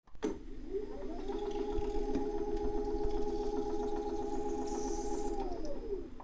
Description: does knocking while it changing direction and sometimes has some high pitched resonance sounds in zwift.